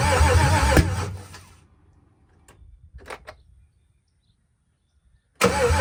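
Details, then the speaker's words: Gen 4 LS V8 swapped into a Cutlass, first start with fuel pressure around 50 psi: brief cranking then a few sharp pops with no catch; crank no start because the coil harness was wired swapped wrong. "it started not on the first time but that's cuz I had the Hornet swapped swapped wrong the coil Hornet"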